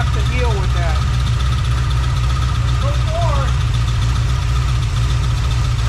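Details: Freshly rebuilt small-block Chevy 350 (roughly 355) on its first run, not yet warm (under 120, about 69 lb oil pressure): a slow, steady, even idle around 750 rpm with no ticks or stumbles. Normal idle.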